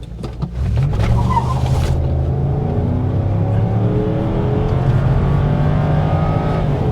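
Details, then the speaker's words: 1999 Ford Taurus SHO V8, full-throttle launch from standstill, AC off: brief tyre chirp, engine pulls hard, each upshift drops revs cleanly; shifts normal under full throttle. "Oh, it shifted fine there. Under full throttle."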